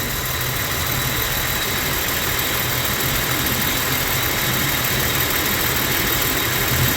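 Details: 1996 Jeep Cherokee XJ idling: uneven, hunting loose beat; timing mark jumps 10–15 degrees, worse with rpm; crank and cam sensors and coil already replaced, owner suspects a slipping timing chain.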